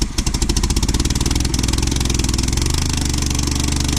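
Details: 1972 Volvo 145 four-cylinder, first start after purchase with fuel rigged and vacuum ports plugged, hard to start after long cranking: lumpy, uneven idle with loud irregular chuffs and gaps in the firing beat, only two cylinders firing because plug wires were off.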